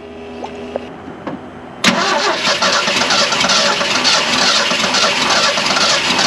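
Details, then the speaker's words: Classic Ford F150 with 300 inline-six and electronic ignition, sat 29+ years: the starter whirs, it catches in about two seconds and settles into a steady even idle. Oil pressure is good, though one cylinder is slightly off. "it ran from lockdown solid super crusty i'll give it to it it started a lot easier than i thought it would"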